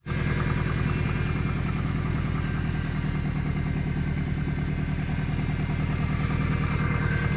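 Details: Subaru Impreza WRX GC8, EJ20G turbo boxer, idling with a regular dull knock that keeps pace with engine speed. It has been driven this way for a year, and two years by the previous owner; others blame the forged pistons, the owner suspects a connecting rod.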